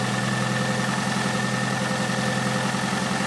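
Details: 2004 Toyota Highlander 2.4L with 225,000 km at idle: a light, regular tapping of about three or four per second over the hum. Engine knock around cylinders 3-4; the inspection suggests worn piston parts and misadjusted valves, not confirmed.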